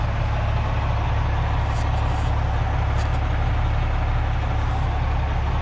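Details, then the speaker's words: 1994 Freightliner FLD112 truck tractor, injectors replaced within the last couple of years, good oil pressure: deep, even diesel rumble at steady idle with no knocks, misses or surging; normal healthy diesel idle. "This truck runs real good. Never had any issues with it. Got good oil pressure."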